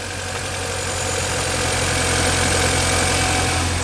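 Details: 2005 Mini Cooper (R50) just after a cold air intake install: steady, smooth idle with a slight rise in revs and airy intake hiss on top, nothing irregular; the engine sounds healthy.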